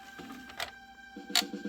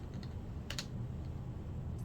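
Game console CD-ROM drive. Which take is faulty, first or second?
first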